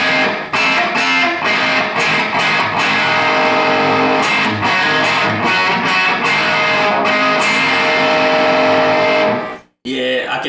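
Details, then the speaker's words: Mojotone Plexi 100W kit amp with unbalanced output tube bias, one tube at 21 mA and the others about 30–31 mA: guitar tone turns harsh and fizzy, losing power, and the signal drops out; it gets worse over time. "it's like a Fizz but it's making I don't know how to explain it but it's making the the sound kind of like it's it's missing some power it's like it's dying out the the signal is dying"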